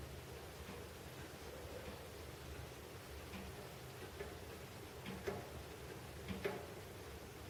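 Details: Heating pipes knocking after a major building overhaul: faint, uneven taps and knocks come through the pipes over a quiet room hiss; cause unclear.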